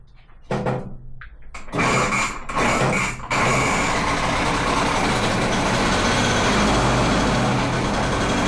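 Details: Di Blasi folding moped two-stroke after wiring repair and a carburettor clean, with choke on and probably just enough fuel. After a few kicks it catches and settles into a steady, even buzz, running right.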